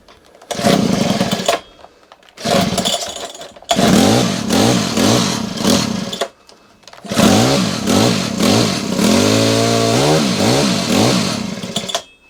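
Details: Honda HHH25 hedge trimmer with a newly fitted replacement carburetor whose idle screw is wound in too low: it revs in short bursts then dies away between them, never settling to a tick-over.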